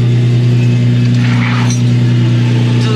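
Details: Nissan 350Z started up after repairing its broken Tomei titanium exhaust; steady, even low idle and revs with smooth burble, no leak; slight sound at the end on let-off attributed to exhaust back pressure, small clink from a spring; healthy, exhaust sealed.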